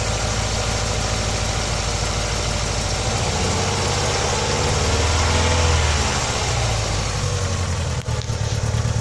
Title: bruit moteur opel vectra b